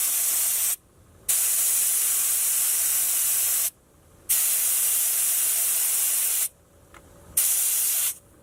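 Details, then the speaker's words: 4WD tyre being aired down with a valve-core deflator that is now properly undone: a steady loud hiss in three long bursts with short gaps; unrestricted flow, with all the air released at once. "As you can hear now, all the airs get released at once."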